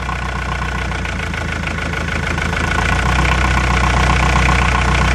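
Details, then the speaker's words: Brand-new diesel engine at idle undergoing a bad-cylinder test by loosening one injector at a time. The steady idle has even knocking beats about four per second and the speed dips slightly with the cylinder cut, the same as the neighbouring cylinder: both cylinders are firing properly. "it's very very similar that tells me that both of those cylinders are doing a great job"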